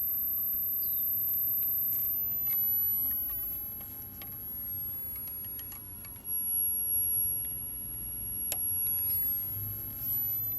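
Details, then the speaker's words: 1981 NEC JB-1201M monochrome green composite monitor after replacing a transistor with a 2SC3203: thin, steady, very high-pitched flyback squeal over low room hum, showing the horizontal stage now works. "i heard it i can hear it squealing"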